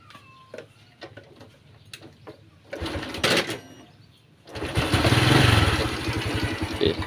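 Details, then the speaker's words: Honda Wave fuel-injected, kick-started: catches and settles into a quick light clatter about four ticks a second at idle; cam chain very slack, chain tensioner rubber roller cracked so metal hits metal. "เออนนี่เห็นบ่โซอลินยอนอ่ะองสตาร์ทอีกทีนึงเห็นบ่ทุคนโซสะบัดเลยเห็นบ่เห็นบ่ทุกคนแเลยนี่คืออาการเทสเบื้องต้นเนทุกคนเนาะอาการเทสของโซลิ้นยมนเห็นบ่เออโหย่อนมากเลย"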